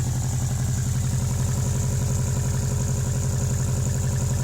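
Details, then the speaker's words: Turbocharged Subaru WRX idling in deep snow: steady idle with a sharp, rapid puffing tick on each firing pulse; owner hears a suspected exhaust leak up front, unsure whether before or after the turbo. "they still I can hear the exhaust leak up front there"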